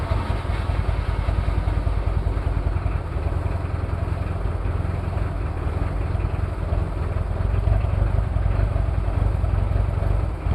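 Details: Cold start of a Toyota 2L-T diesel after piston rings were replaced without a top overhaul: rough, lumpy running with heavy uneven clatter and a stumbling beat. One faulty injector, with possible cylinder head issues.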